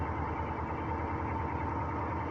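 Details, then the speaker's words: Northstar V8 idles roughly with an uneven, stumbling low thump, a hard misfire. The owner also hears ticking and suspects a possible rod knock. "oh she's misfiring"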